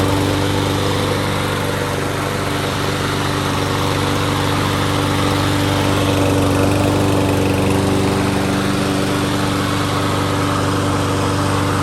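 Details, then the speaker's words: Troy-Bilt TB200 mower with Briggs & Stratton plastic carburetor, after widening the jets and fresh gas, running about 15 minutes: steady, even governed speed, no misses or surging; normal running. "so i just washed it off let it run for about 15 minutes runs good no real issues he'll be happy"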